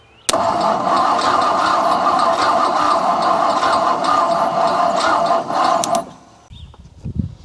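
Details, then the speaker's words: 1959 Ford Thunderbird being revived after sitting, points cleaned, weak battery: starter cranks evenly about six seconds but never fires; no spark because coil wire was disconnected. "Sometimes it helps to connect the coil wire to the battery. Who' have thunk it?"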